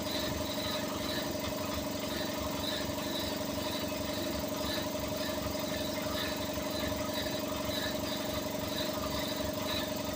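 Engine idling with a steady mid-pitched drone and a faint rapid ticking near two per second; compressor noise, cause unclear.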